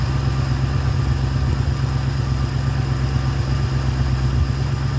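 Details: Ford Fairlane with a new Holley 500 CFM carburetor and manual choke, after throttle linkage adjustment, warming up: deep, steady rumble at about 1300 rpm fast idle, even beats with no misfires; normal fast idle.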